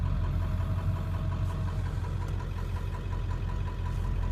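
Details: 1995 Ford 7.3 Powerstroke diesel, warm, after replacing blown injector pressure regulator O-rings, idles with a steady, even clatter and smooth drone, no stumble or miss; healthy idle.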